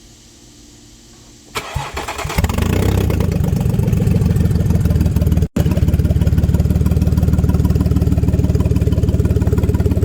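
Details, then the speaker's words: Audi 3.0 TFSI V6 with codes P0133/P0136: cranks, starts, runs loud with harsh rapid puffing rumble mainly from passenger side (bank 1); exhaust leak, suspected failed catalytic converter. "and then you can hear the noise that you hear in this video and it was primarily coming from the passenger side so it was telling me something's broken on the passenger side you know an exhaust leak"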